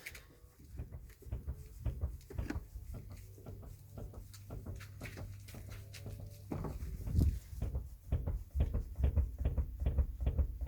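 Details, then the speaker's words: Mercedes W212, left rear with new struts: dull irregular thumps about twice a second when the body is rocked, also heard over small bumps at low speed. Strut bolts tightened. Suspected upper strut bump stop or plastic cup. Rear suspension clunk. "а на кочках то ещё жёстче и мало того что всё слышно на улице едешь как на телеге"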